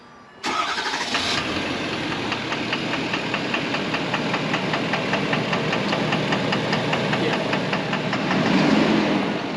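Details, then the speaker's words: Truck stored after a trip, restarted: cranks, catches and idles with a steady tick-knock about four times a second that goes away with revs or load; owner hopes it's injector noise, cause unknown. "Yeah, but then as soon as you put any revs or any load onto it, it goes away. I'm hoping it's just some sort of injector noise. It just sounds super shitty, and honestly has got me."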